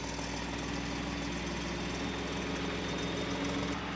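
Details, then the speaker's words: 2018 Ford F150 3.5 EcoBoost 4x4, remote started, hood closed: faint fast metallic rattle over steady idle at every start, warm or cold, no warning lights, runs fine; owner suspects turbo wastegates or transmission, unconfirmed. "and so it does it pretty much every time i start it whether it's warm whether it's cold and it's just like kind of a metallic rattle so i'm not sure there's no warning lights it runs fine"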